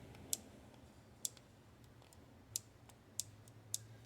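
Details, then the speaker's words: 2016 Ram 1500 Hemi with code P0456 small EVAP leak: purge solenoid by the engine, normally closed, clicks sharply at irregular intervals (about five in four seconds) when power is applied; valve operates normally, not the cause of the code. "It's very small, but you can feel it with your hand. It's a clicking."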